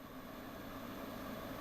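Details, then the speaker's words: New Sage (Breville) Oracle Dual Boiler espresso machine at first setup, water tank just installed during a software update: a steady, fairly loud fan whoosh with a low hum and no knocks or rattles; it sounds normal. "Pretty loud fan."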